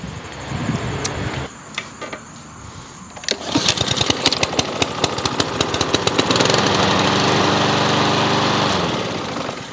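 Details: Troy-Bilt TB130 mower with a Honda GCV160 engine after the finished manual choke conversion and a new air filter, final pull-start; catches on the first try, steady even drone holding speed without hunting, normal running.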